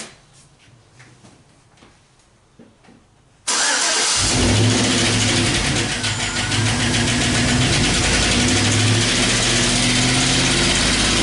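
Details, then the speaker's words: 2012 Chevy Silverado 5.3 L V8 with active fuel management: heavy steady tick about three a second at start and idle, similar to rod knock, louder with higher rpm; MAP sensor performance codes present; collapsed lifter. "engine developed a ticking sound almost like separately allow it's almost the same as the road knock"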